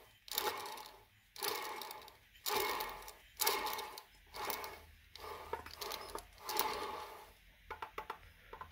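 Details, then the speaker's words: Hand-turning the pinion on a used BA XR6 Turbo diff shows play with the pinion bearing preload gone: a gritty, rattling scrape swells with each turn, about once a second. Carrier bearings looked fine. Worn pinion bearings with lost preload. "hear that's the play where the preload's gone there's radley sounds in there and they just don't sound very good at all"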